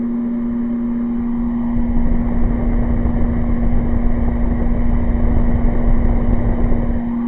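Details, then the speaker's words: Air conditioner on high, powered by solar through an inverter: loud steady fixed-pitch electrical buzz over fan rush, unit working. "now I'm just showing you will it work and let's put that on high there you go and you can hear the buzz in the home [Music] but yes it's definitely working I mean definitely"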